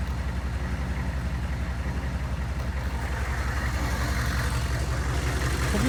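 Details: GMC/Chevy OBS 6.5L diesel, 171,944 miles, long idle hours, running belt too short: at idle a rhythmic clack about three per second over the rattle, long blamed on power steering pump, is the loose crankshaft pulley slapping on its hub, leaving a shiny mark.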